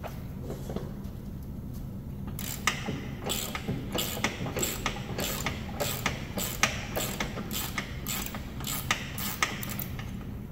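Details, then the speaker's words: Cub Cadet LTX1045 mower deck spindle spun by hand during deck rebuild: rough, ratchety clicks two to three a second from a shot, worn-out bearing. "okay okay yeah you can hear this bearing it's just shot"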